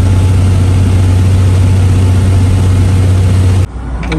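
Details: Toyota MK3 Supra, stock-block six on Haltech standalone, hub-dyno tuned for consistent daily driving and starting hot or cold; deep, steady drone holding an even pace, no stumble or misfire.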